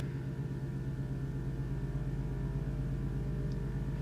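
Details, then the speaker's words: Car with AccuAir air suspension, recorded in an enclosed space: a steady low drone with an even rapid pulse. The compressors, once loud and rattling when bolted to wood in the spare wheel well, are now relocated and barely audible. "can hear the car obviously where you know in an enclosed place yeah that's louder and then slightly you can hear the compressors almost not at all and I'm super happy about that because it was very annoying"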